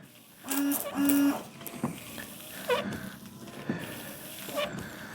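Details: 1999 Daewoo Matiz, after replacing the windscreen washer pump. Two short, firm whirring buzzes followed by spray hiss and splashes. The new washer pump runs strongly and sprays normally.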